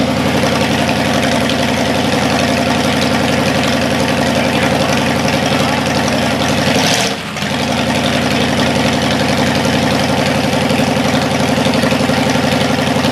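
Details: Cadillac 390 V8 run after sitting 8 years, cold and untuned: steady, even idle with smooth rhythmic beat, slightly raised speed. Water pump leaking, carburetor leaking less. Normal cold idle.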